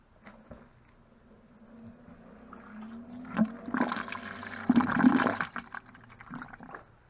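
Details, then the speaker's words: Dishwasher in drain mode with almost no water left: low humming pump with gurgling surges, audibly labouring. The drain pump still drained everything and works. Drain pump straining. "Ah là il force là il vidange mais il y a plus rien."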